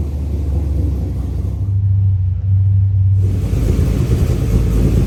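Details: SSV engine after a CNC cylinder head swap and new 160°F (71°C) thermostat, first start-up: brief cranking lull, then catches and settles into a steady, even run with no knocks; normal start.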